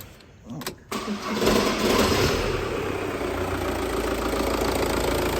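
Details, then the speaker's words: 2004 Audi A3 2.0 TDI (BKD) diesel after timing belt and water pump replacement starts and settles to a steady, even idle, sounding spot on; a known dual mass flywheel fault causes loud rattling at startup. "it's running says see everything sounds absolutely spot on so struck up pretty well there"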